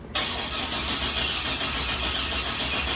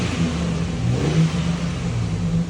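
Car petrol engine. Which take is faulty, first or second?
first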